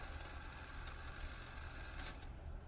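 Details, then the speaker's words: Kenwood KX-5530 auto-reverse cassette deck: quiet, even whirr of tape spooling at steady speed with no squeal or scraping; fast forward runs smoothly, though rewind is a little noisy. "one thing i have to mention like i have like a little bit noisy rewind to hear that and the fast four is cool"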